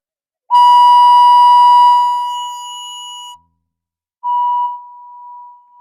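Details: Minelab SD2100 metal detector, previously modified with variable gain; a loud, steady tone near one kilohertz screams out as the gain is turned down, then fades. It should have had a blanking delay circuit.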